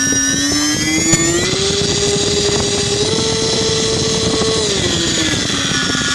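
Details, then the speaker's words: Turnigy D2836/8 1100kv brushless motor, new: whine climbs, holds, then drops, and a rough gritty bearing noise shows as the throttle backs off; bad bearing. "okay so it sounds well when it starts off and then when you back off you can hear the bearing noise"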